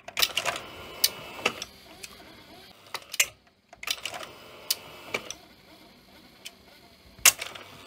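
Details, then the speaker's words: Philips N1700 VCR Long Play video recorder with lid removed: sharp irregular ticks and clacks with brief stops, the heads grinding to a halt; servo circuitry suspected faulty. "yeah the server circuitry is not right I can hear the the heads just sort of grinding to a holds"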